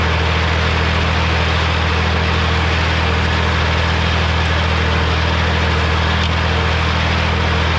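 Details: Morra F25-6 disc mower on tractor, test run after bearing repair: smooth steady drone with even low hum, no knocks or metal clatter; discs running clean, occasional slight touching possibly the shield.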